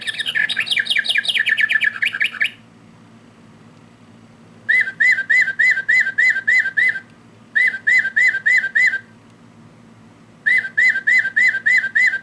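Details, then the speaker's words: Singing bird clock before repair: bird song from button on back sounds harsh, buzzy, very digital, lower tones broken; clock mechanism also stopped. "Maybe there's the lower tones are really weird. See how that it's kind of broken? I I don't know. Very digital sounding."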